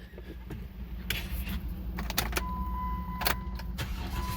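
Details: 2009 Jeep Wrangler towed in as no-crank, no-shift, after cable reconnected in park: engine fires cleanly and settles into a steady even low rumble with no misses or knocks; starts and idles normally.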